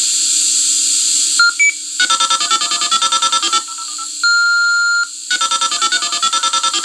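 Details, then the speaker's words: Fire alarm digital communicator over a conventional phone line: dial tones, a handshake, bursts of rapid touch-tone digits and a long steady high kiss-off tone (1400 cycle), with slight line echo. A normal alarm report going through. "Now, what you just heard was it calling up, getting the handshake. Now, you hear a little bit of echo in there because this is from a conventional today phone line"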